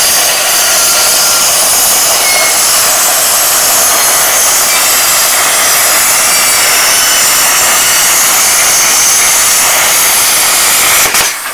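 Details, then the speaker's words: A 40 amp plasma cutter set to 30 amps at 40 psi cuts 3 mm plate with a loud steady hiss held about eleven seconds, then cleanly off; the cut comes out well; normal plasma cutting. "well i said now i've got a three ml piece of plate compared to that piece of plate which i reckon is probably a mill and a half so we'll see how this cuts at 30 amp 40 psi"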